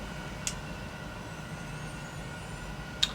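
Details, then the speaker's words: Failing hard drive in a vintage 1990s Compaq Presario desktop clicks while the system tries to detect it: two sharp up-down clicks about 2.5 seconds apart over a steady electronic hum; drive suspected dead, not confirmed. "Hear the clicking. So, it's like up, down, up, down. Unfortunately, that doesn't sound great."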